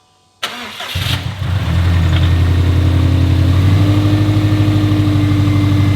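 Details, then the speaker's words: 2017 Subaru STI (VA, 400whp build) started after valve cover reseal and cam timing, tensioner re-bled, no coolant yet, brief 1–2 minute run: short crank, catches cleanly into a steady, even boxer idle. Healthy first start. "Well, you guys heard it, thing fired right up, so let's get the oil drained, we'll get some coolant in this thing, and start it back up."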